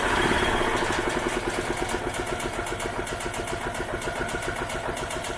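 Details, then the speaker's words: 1986 EZ Go Marathon two-stroke golf cart running on a little fuel poured in by hand: small engine chugs evenly about four beats a second and fades as fuel runs out; fuel not reaching carb from tank, possible carb blockage suspected. "so we just got to make more or less figure out how to get fuel over there from the fuel tank to the carb and who knows maybe there's a small blockage in the carb or something it's hard to say good"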